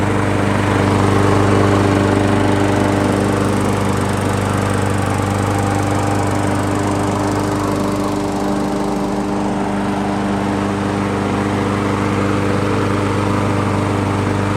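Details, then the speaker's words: Craftsman 21-inch push mower, oil checked clean, fresh gas: the single-cylinder engine holds a smooth, even drone at constant speed with no surging, misses or rattles. Running properly. "runs really smooth and just to clean it up and get it ready"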